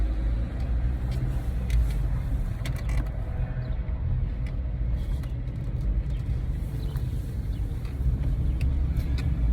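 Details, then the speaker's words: 4x4 test drive after replacing a transfer case with internal damage that banged and clunked in corners: steady low road rumble with no clunks through turns; the drivetrain is now quiet. "no more clunkities have a great day"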